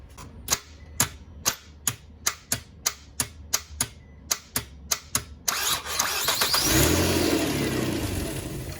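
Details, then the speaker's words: 2003 Nissan Altima 3.5 SE automatic with an intermittent starter (driver's side), before replacement. About a dozen sharp clicks at roughly four per second, sometimes around five attempts, then the starter engages, cranks and the engine catches. "You can even put your hand on it, you'll hear a click where it's trying to kick the starter over, but it's just click, click, click."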